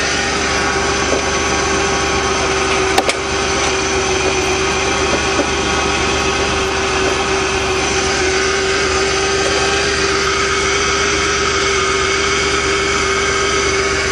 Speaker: hopefully yes hahaha sounds like new to cool love it I knew my job just couldn't let me down